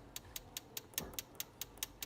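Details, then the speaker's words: Alto saxophone on the repair bench for maintenance, after bent keys were straightened: sharp, bright metallic ticks about five a second as the key closes; the cork under the key is missing so it hits metal on metal. "you hear that sound? Metal on metal. Underneath this key, there should be a cork."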